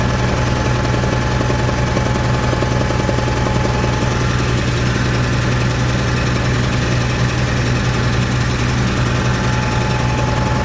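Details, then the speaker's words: Cat 3306 engine reported not carrying load: heavy low beat with uneven lumpy pulse and popping skip about once a second; pulling plug wires showed number six dead, a single-cylinder misfire. "tell them I'll come out here and take a look at it so I can I can hear it's it's missing right now sounds like it has a valve or something it's popping"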